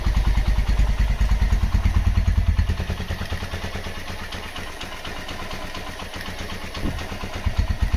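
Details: Honda GL Max Neotech motorcycle engine after full restoration/rebuild, originally noisy at head and clutch. Crisp, regular thumping idle that dips and recovers smoothly, no ticking or clatter; normal healthy idle.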